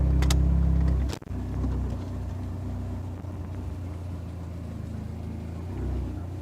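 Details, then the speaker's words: Dodge SRT4 after temporarily fixing the idle air controller with carb cleaner: a short rev blip, then a steady drop back to low idle without hanging at 2,000 rpm as before; normal idle return after revving. "Oh, high idle, coming down slow, coming down slow."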